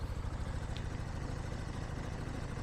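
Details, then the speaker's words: Rutec Cargo 125 scooter, about one month and 300 km old, started after the fuel pump stops: fires immediately into a smooth, even low putter at steady idle, no knocks or rattles; healthy idle. "Çok çabuk çok hızlı çalışıyor hemen çalışıyor"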